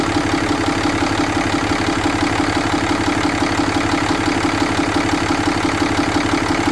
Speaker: Okay, let's fire it up and see if we do good. Seems to run pretty good.